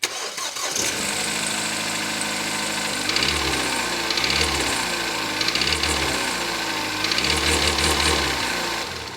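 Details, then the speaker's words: 2016 Kia Soul, 172,000 miles, rust-belt car bought for $300: starts and idles with a heavy, gravelly bottom-end knock that rises with each throttle blip; connecting rods suspected, not yet confirmed. "I indeed paid $300 for it because the engine sounds like it's chewing on some gravel."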